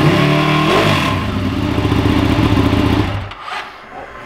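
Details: Ducati Panigale twin with newly installed clear clutch cover, fairings refitted: loud crisp start and blip, quick even firing beat settling smoothly; normal running, not noticeably louder than before.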